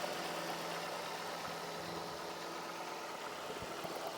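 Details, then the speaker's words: High-mileage Ford Focus petrol engine at warm idle: smooth and even, idling right down, with no knock or lifter noise. It idled high on cold start before settling. "Just sounds good. Idles right down, no issues."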